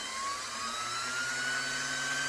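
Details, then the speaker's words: Vintage Singer 503-A sewing machine motor run unloaded (hand wheel released) to condition it; steady high whir climbing in pitch as it picks up speed; healthy motor with good bearings and brushes. "it may take a few minutes, it may take 10 minutes, but you run it and run it and run it until it'll keep picking up speed, and then eventually it'll sound like this, because it's a good quality motor with good bearings, heavy motor brushes, and a good wound armature with good heavy coils of copper."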